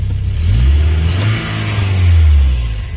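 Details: Car that would not start, after a faulty computer was repaired and a fuse fitted temporarily: the engine catches and settles, then revs up cleanly and drops back smoothly with no misses or knocks. Running healthy.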